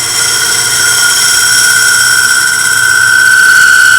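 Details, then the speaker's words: Wood lathe, scraper cutting a thin-walled segmented maple bowl: a steady high squeal holds its pitch through the cut. This is workpiece chatter from the bowl vibrating; a hand on the outside steadies it. "hear that high pitch sound that's this bull vibrating this is where i put my hand on the outside for steady"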